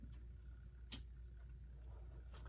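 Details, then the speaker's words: 1929 Telechron Duncan mantel clock rotor, freed after being frozen, tested in a coil before oiling: faint steady low hum with light clicks, rotor turning smoothly; normal running after repair. "and how about that it's working very very good"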